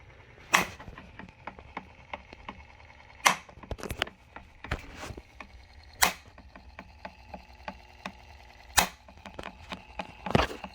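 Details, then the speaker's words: AO Smith AO-WH-SOFT-350 water softener showing a can't-return-home error, valve housing full of water: loud clicks about every three seconds from the failed drive assembly (the motor that turns the valves), later fixed by replacing it. "tried to return back to the home position of the valves and started making this terrible clicking noise"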